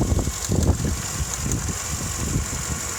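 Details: Vauxhall Astra MK6 when warm: uneven, lumpy idle with irregular low thumps, also shudders while accelerating; cause not clear.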